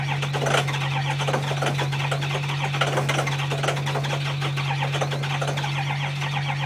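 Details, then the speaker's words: 2005 Ford Powerstroke 6.0L diesel after a cold hard start: starts rough, then settles into a steady clatter over a low hum and idles smoothly; normal idle, it only needed extra battery charge. "Started. Fucking rough. There. Running perfect now. All she needed was a little extra juice."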